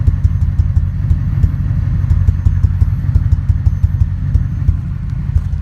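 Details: Ford 5.4 2V V8 truck, intermittent for 3 months, earlier bank 2 misfire, coil pack replaced and injector cleaner used, no codes, shakes especially in drive: lumpy idle with irregular thuds about three a second; rough idle with suspected misfire.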